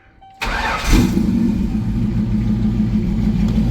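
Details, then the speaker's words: Thunderbird after engine pull, upgrades, new intake and rewiring, first cold start: quick crank, catches, settles to steady idle, slightly lumpy until warm; idle set too low can stall. Normal start and idle. "There you go. We don't know if the clutch works yet. This is a little wonky till she warms up."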